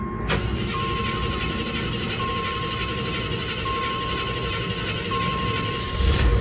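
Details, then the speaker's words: 1986 AMC Jeep Grand Wagoneer, carbureted, sat a month, after a second pedal pump: steady churning crank with faint chime, then it catches into a fast, rough cold idle; normal cold start. "there it goes so now it's going to go through its warm up phase I think it's usually like I don't know four or five minutes and then it's going to Throttle Down"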